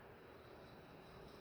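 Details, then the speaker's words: Nutone 48-inch Proline PFC-48 commercial ceiling fan running: loud, steady gritty rattle over the airflow while the motor stays quiet; not bearings, something loose, likely the canopy or a missing isolator. "Yeah, I hear that rattle's pretty loud, but I don't hear any motor noise. Yeah, that's something loose."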